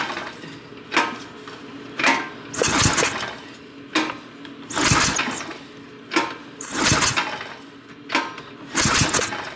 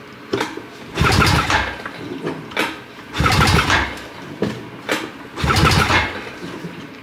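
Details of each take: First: 2006 Honda Rancher 350 ES ATV, pull-start attempts: rough bursts about every two seconds, the engine spins over but never catches. A spark test with the plug grounded on the engine showed good spark. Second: 2006 Honda Rancher 350 ES quad that won't start, compression test while cranking: three even churning bursts with no catch. Reads 110 PSI against a 90 PSI spec, so compression is healthy.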